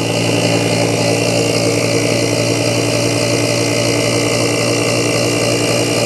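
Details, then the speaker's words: BoxMotor pulse motor after replacing a bad chip, running on three coils: steady even hum with a resonant buzzing tone showing the coils working; charge batteries near 12.05 V and current climbing. "you can always tell when these are working you can hear them they resonate so when your coils are working you can hear them so that's running three coils"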